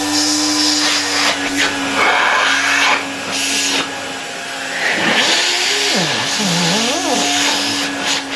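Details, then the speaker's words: 1970 Alfa II vacuum cleaner after motor replacement: steady high motor whine with constant tone and airflow rush, shifting as hose moves; runs normally, owner thinks bearings audible on stopping, plans lubrication. "It works quite well, although a cloud of dust came out of it after the first start - maybe it wasn't visible in the recording."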